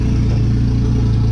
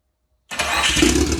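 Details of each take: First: JDM Evo on an open downpipe, no exhaust: loud deep idle with slight rpm waver around 1850; owner says idle is a bit funny and needs the ECU idle relearn procedure. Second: JDM Mitsubishi Evo's first start in years after new turbo setup, boost to be set at 18 psi, no cat-back exhaust: brief crank, catches at once into a loud, raspy, lumpy idle; healthy cold start.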